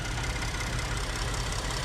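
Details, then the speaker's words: Ford F-150 3.5 idling after water pump replacement; even, steady low rumble with no ticking, squeal or grinding, no leaks, and the earlier noise is gone; normal idle. "all right guys and that is it it is now running no more noise it's gone no leaks"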